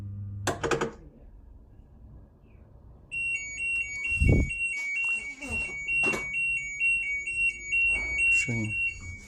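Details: Daema washing machine with a water overflow problem, despite the owner replacing the water level sensor, inlet valve and hose and modifying the door sensor; after handling knocks, a high-pitched beep repeats about twice per second, flagging an error code.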